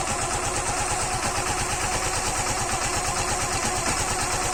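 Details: Suzuki Gixxer BS6 fuel-injected engine after timing tappet adjustment to fix engine noise: steady even single-cylinder idle with regular exhaust pulse and no ticking or knocking; normal idle.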